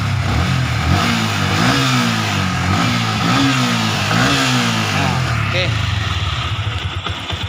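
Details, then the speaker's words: Yamaha Vixion New after new piston, boring sleeve and replaced worn con rod: clean even revs rising and falling with throttle, no rattle or knock; remaining glek-glek sound attributed to clutch friction; normal revving. "Nah, ini seperti bawaan friction ya ini ya. Kalau digas wis gak ono ngecer ya."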